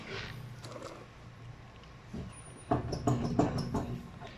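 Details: Raised wheel off the ground rocked by hand top and bottom: quick clunks, almost three a second, wheel moves when it should not and spins rough; worn inner wheel bearing with play, needs urgent replacement.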